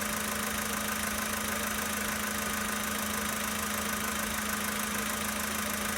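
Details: 2013 Volkswagen Polo Sedan Sochi Edition, 65,000 km, cold idle: a steady, fairly even tapping of roughly three knocks a second over the engine hum; source of the knock not yet identified.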